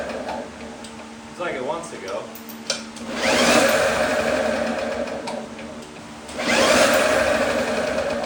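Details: 1954 Lawn-Boy RPM 8FH13LB two-stroke mower, dormant 50 years, first start after points and ultrasonic carb cleaning: bursts into life and surges to high revs in waves, unchecked; super loose throttle leaking air at the carb, choke ineffective, runs wide open.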